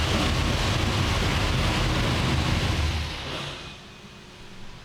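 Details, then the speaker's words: 903 cu in Hemi engine on the dyno running naturally aspirated (before boost is added), just started after a camshaft problem: deep, loud, even rumble for a few seconds, then cut; sounds meaner, crisper and healthy. "She runs. Sounds a little bit meaner. Honestly, I think now that we've changed things around that it sounds a little crispier, if you know what I mean."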